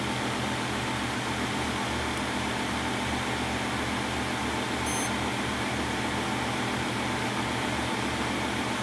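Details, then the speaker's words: New lower-heat wireless bridge PC build replacing a Core i5-10600K box, at first power-on booting into Windows. Steady, even fan whoosh with a low hum and one brief electronic chirp, no rattle or grinding. Working fine; normal startup. "here comes Windows looks like we are working just fine"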